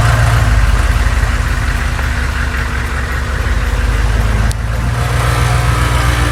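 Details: Humvee diesel driving after tightening both bolts on a moving part to cure an earlier noise: deep even rumble, no rattle or clatter on take-off; drivetrain solid, noise not returned.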